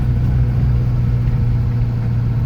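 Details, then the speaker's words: 1967 Alfa Romeo Giulia Super with newly installed 1600 Nord engine, standard air box and filter, standard diff, on a country road drive: steady even drone, engine pulling smoothly with no knocks, misses or whines; healthy. "And the engine pulls nicely, nice and smooth."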